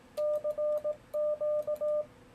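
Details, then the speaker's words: Yaesu FTdx10 in CW mode with iambic paddle: clean 600 Hz sidetone sending CQ; the relay switches on and stays on without chatter until sending ends, held by the break-in delay setting; normal. "the relay turns on but doesn't turn off again until i finish sending and that's because i've got a break-in delay set here"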